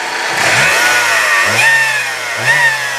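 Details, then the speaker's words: 2004 Saturn Ion 3 Quad Coupe: three quick throttle blips with thin whine rising and falling with revs, no knock or valvetrain noise; source unknown, owner guesses transmission. "So you can hear that little bit of a whine there. I don't know what that's from, but I'm guessing that might be maybe something in the trans."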